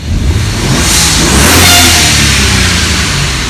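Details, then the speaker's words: BMW E36 with an N54 engine, free-revving about a minute in, just before it drops into fail-safe: revs then a short airy whoosh as the throttle closes, the blow-off valves venting boost normally. Normal blow-off valve venting. "See, you can kind of hear the blow-off valves kicking off, so that's good. That means that the engine is working properly."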